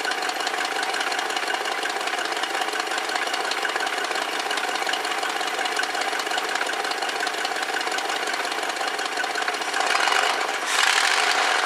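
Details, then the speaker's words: 1969 Lincoln Mark III V8 running cold after a tune-up and new coil, with timing at 10 degrees and about 700 rpm idle on the tach, a hair fast. An even, steady idle firing on all eight, with no misses or knocks. "and over here we're at about 700 on the idle so that's not too bad it's probably just a hair faster the factory wants it"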